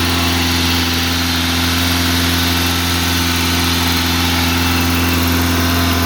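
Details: 1987 Honda Accord, 130k miles, cold start: fast idle won't kick off, staying around 2500-3000 rpm even at operating temperature; steady fast even drone that never settles; high idle.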